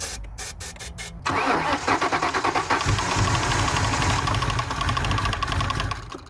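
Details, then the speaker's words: 1999 Ford Mustang GT 4.6 V8, 5-speed, sat for years, started on starting fluid via throttle body with jump pack; slow uneven crank, catches, runs rough, then dies; fuel tank on empty. "not bad oh it doesn't sound good though let's try that again a little bit more starter fluid"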